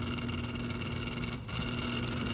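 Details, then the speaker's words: 1997 Windmere Turbo Fan WTF-7, three-speed, unserviced unit started on low: steady low-speed motor hum with a rough, buzzy edge instead of a clean whirr; fan motor bearings are dry and need servicing. "uh started on low again this is the one that has not been serviced yet and the bearings are dry so I don't want to run it too much"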